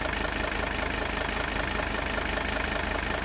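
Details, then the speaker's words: Diesel idling on straight store-bought vegetable oil fed through a heated line; smooth even clatter at about four pulses a second with no sharp knock, described as a healthy engine. "That's how a healthy engine should sound right there."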